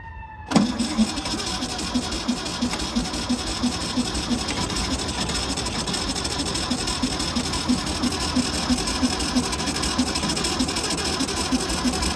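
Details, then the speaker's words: 1964 VW Beetle stored since the late '80s/early '90s, first start with fuel poured into the clean carburetor, good plugs: catches at once, then loose uneven chuffing tick about three per second over a rattly idle, water spraying out; rough running. "Oh yeah, there we go. Holy smokes, that was leaking a lot. Oh boy. That's just water."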